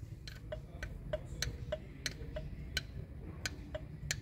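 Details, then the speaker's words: Kia Cerato 1.6 automatic, in reverse/drive under transmission load: sharp metallic ticks about three per second over quiet engine hum, seeming to come from cylinders 3–4 but actually a flexplate cracked around a bolt; cracked flexplate knock. "вот где-то он вот в этой части третий четвёртый вот поршень шату то когда ты включаешь передачу назад на [музыка] больше нагрузки на саму коробку автомат этот стук"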